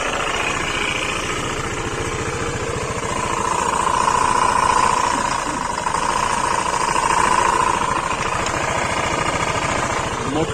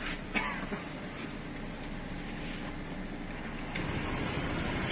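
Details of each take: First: 2021 Honda PCX ABS scooter at 40,000 km, previously serviced elsewhere, idling: rough pulsing rattle and whining tone near 1 kHz from the variator (CVT) area; front and rear variator to be removed for diagnosis. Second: Honda PCX ABS scooter engine at 60,000 km, regularly given variator maintenance, idling with a steady even low hum and no rattle or whine from the variator; normal idle.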